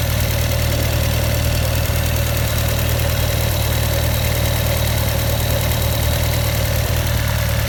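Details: 2016 Honda CB1100EX at idle: regular tapping about four per second over a loud engine hum, abnormal engine noise, cause not pinned down.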